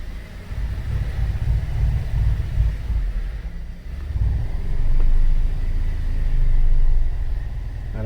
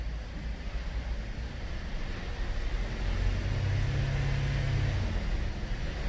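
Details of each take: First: 2013 Cadillac SRX at 114,000 km, rear wheels off the ground and traction control off. A heavy low rumble with uneven thumping comes from under the middle of the car: a failed rear driveshaft hanger (center support) bearing, fixed by replacing the whole driveshaft. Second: 2013 Cadillac SRX at 114,000 km, rear wheels spinning on the hoist with traction control off, after replacing the rear driveshaft for a failed hanger bearing: a low, steady drivetrain hum with no vibration or shudder.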